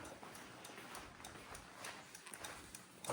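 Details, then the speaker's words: Factory Five coupe with no engine, dash powered from the car battery, double-throw switch connecting both flashers: crisp relay ticks at a steady, even pace of about three a second; normal hazard flasher operation. "So here, I'm gonna shut this guy, shut the turn left. So this one here, both of them, you connect both of them. Both flashers are running right now, should be 1, 2."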